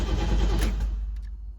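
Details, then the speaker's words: 1989 Pontiac Trans Am GTA unregistered 17 years, fuel pump heard priming, starting fluid used: engine catches with a rough, heavy rush then sags and fades instead of idling; hard start, cause unknown. "Something's got to make it bark off. I don't understand why it's so unhappy, but something is unhappy."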